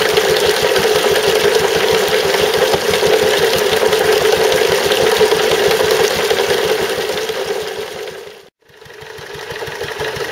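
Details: Stuart Turner water pump after replacing the failed big end bearing; steady knock about 2.5 per second over the engine's beat until shut off, noise much reduced, remaining knock unexplained; owner wonders if it is a valve.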